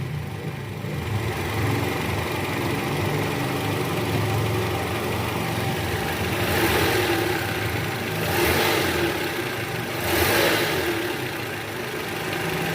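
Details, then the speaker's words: 2012 Toyota Camry 2.5 with the 2AR engine at 106,000 km, after balancer shaft replacement and a service, idling. The idle is even and smooth, and the earlier rattle from the oil pan area is gone. "Oke Guys sekarang suara mesinnya jauh lebih halus ya dibanding awal sebelum kita ganti balancer Sharp tadi"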